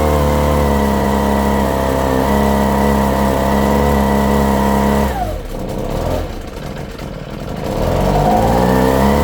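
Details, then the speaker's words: Echo PB-250 two-stroke blower (50:1 fuel): it holds a steady high buzz only while held open, then sags and stumbles as the throttle drops. It won't idle; owner suspects the mixture screws, and the low-speed mixture is too lean. "This particular one is not going to run without letting go of the throttle. So, I'm going to have to figure out why."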